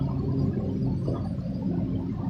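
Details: New ceiling fan turned by hand with its capacitor removed; the coils test fine. A low steady hum with a faint scraping rub: a proud stator lamination is catching the rotor, and the bearings are quiet.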